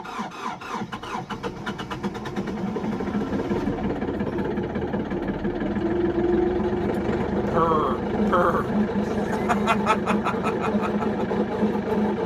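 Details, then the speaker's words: Kioti NX6010 diesel tractor cold-started in sub-zero wind clatters up to idle with a faint warbling "we we we" whine on top: cold, thick hydraulic oil loading the pump, with a heat wrap on the hydraulic filter while it idles to warm. "you hear that pump that we we we we sound yeah that's that's the hydraulic uh fluid"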